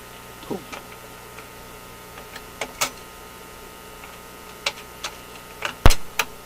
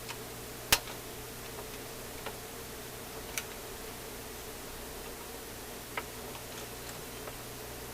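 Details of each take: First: General Electric C-411 radio phonograph after mechanism maintenance, run with no record: scattered clicks and firm clunks as the arm and trip mechanism cycle through reject; the changer completes its cycle properly. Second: General Electric C-411 radio phonograph after mechanism maintenance, in gear: faint uneven mechanical ticks over steady hiss; record changer keeps cycling and won't stop or disengage.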